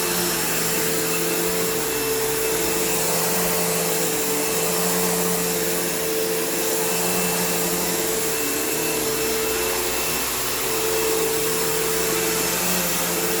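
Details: Kenmore PowerPath System vacuum on living-room carpet, just acquired: loud steady whine with a slightly uneven, wavering undertone. The motor doesn't sound the healthiest and the owner plans to take it down; not unsalvageable, it needs a service and tune-up.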